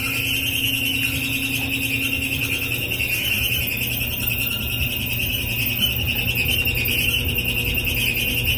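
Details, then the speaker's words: Samsung dryer running: loud, steady, shrill squeal over the drum's low rumble, seemingly from the back. Worn idler pulley, fixed by replacing the pulley. "I get a Samsung dryer it's got a really loud squeak saw a couple of the videos out there so I guess I'll go ahead and make one myself so if this is the sound that yours makes"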